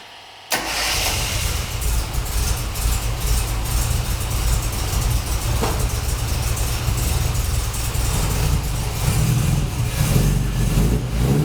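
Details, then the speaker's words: Classic Mini Cooper starting and idling after a no-run traced to the inertia switch, which just needed resetting: brief crank, clean catch, then a steady, even idle with a deep low rumble, no knocks or misses; sounds pretty nice. "[Music] so she sounds pretty nice"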